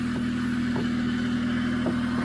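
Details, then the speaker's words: Chevy Spark that won't engage reverse or fifth; steady idle hum with loose, irregular chattering in neutral with clutch released, gone when clutch pressed or gear selected; owner suspects clutch release bearing, unconfirmed. "let's see as soon as i selected the gear again there the noise has gone away i know just clutching right there goes back again and clutch off"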